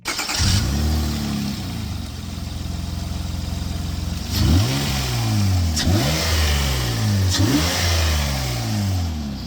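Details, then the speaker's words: 2003-2007 V6 Honda Accord (7th gen) at first start right after installing a K&N Typhoon 69-1207TR cold air intake: engine catches and settles, then three clean, smooth revs with no misses or rattles. Normal revving. "Whoa, that sounds sweet."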